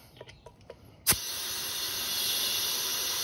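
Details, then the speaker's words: Honda SH150i front tire being inflated after installation: sharp pop then steady loud hiss as air is fed in; air leaking from the back side because the bead is not seated evenly. "nope it's not working so you get i'm not sure you guys can hear it but i can hear it i can hear the air leaking out it sounds like it's coming from the back side"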